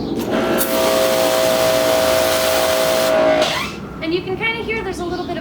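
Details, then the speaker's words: Greenworks GPW 2000 electric pressure washer: a steady high motor whine cuts off, then a short wavering squeal follows as the motor spins down, every time it stops; the testers are unsure whether it is a problem. "a little bit of a squeal when the unit stops, when the motor stops. It's kind of a bizarre thing, but it happens every time, so we're not really sure if that's a problem. But it is a little bit of an obnoxious noise."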